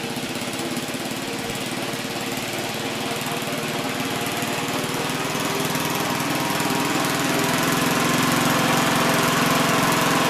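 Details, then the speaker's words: 1971 Gravely C single-cylinder, carb being adjusted: chugs unevenly, beat rising slightly without clean pickup and dies when throttled up, sounds flooded; owner suspects fuel, governor or spark, leaning toward spark plug. "if you throttle it up it dies almost sounds like it's flooded it could be a spark plug maybe"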